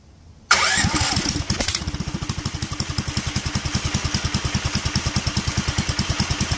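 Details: Duromax 18hp engine with upgraded carburetor intake, idle screw turned up, some choke then choke open: catches and settles into a slow uneven lumpy beat, hunting and near dying at idle; persistent unstable low idle.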